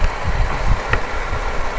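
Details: Holden VZ Commodore police pack, idling, milky residue under oil cap: steady idle with a loose uneven rattle over the engine note; something knocking inside, cause unclear.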